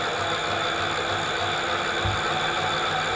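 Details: E-bike hub motor at about 10–15 km/h after the angle setting on the Adaptto controller was adjusted. It spins with a steady, even whir at constant pitch, with no vibration or pulsing.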